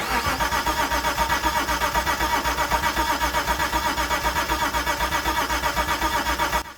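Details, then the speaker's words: Owner-rebuilt Mitsubishi GTO twin-turbo engine at its first start attempt in three years, with a fuel pump not heard priming. The starter cranks steadily, about four beats a second for nearly seven seconds, never catching. Crank no start, no fuel delivery. "turn that off doesn't sound like the fuel pump's going actually so now after all these years let's see if it starts"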